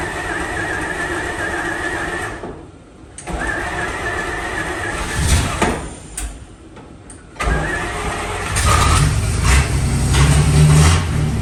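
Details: 1954 Fargo half-ton flathead six, first start after new piston rings and valve adjustment: cranks, catches, stumbles a couple of times, then settles into a steady low rumble and keeps running. Owner suspects carb float height or a leaking float causing overflow.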